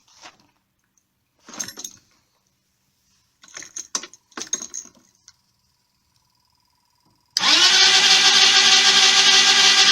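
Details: Jonway Xpressway YY250T 250cc scooter with a rebuilt carburettor, new spark plug, ignition coil, stator and pickup, plenty of fuel and spark: steady fast starter whir for about three seconds, and it cranks but never starts.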